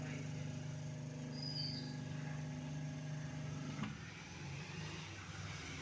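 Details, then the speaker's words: Scrap-shop 6 V rechargeable fan motor, before conversion to a 12 V solar fan, bench-tested on a 6 V power supply. Steady low hum with a light whir for about four seconds, then cuts off; it rotates and the motor is in good condition. "Work ஆகுதுங்க. Rotate ஆகுது 6 வோல்ட்டில். அப்போ motor condition நல்லா இருக்குது."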